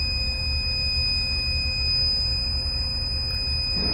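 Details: PylonTech US2000 lithium-ion battery, 48 V and 2.4 kWh, with its alarm LED on. A steady high-pitched buzzer sounds continuously over a low hum. Battery alarm buzzer, being troubleshot.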